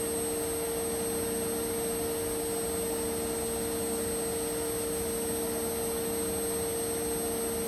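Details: Indesit Innex XWSC61252 washing machine, brought in for not draining, high-speed spin after repair: steady, even high motor whine with a faint high squeal, no knocking or grinding; speed dipped when the high-speed coil engaged, cause unknown; runs clean.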